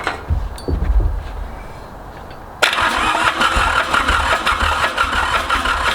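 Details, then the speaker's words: Ransomes Bobcat diesel mower with Mitsubishi K3D engine, first start attempt after 9 years, throttle full, starting fluid used, glow plugs skipped: starter grinds, engine coughs and catches in uneven bursts but won't run; owner suspects too much fuel, hard starting. "he's small kids he's getting too much fuel ah it wants to go so bad you can tell but try one more time and then we're gonna give it a break so we don't melt this stuff"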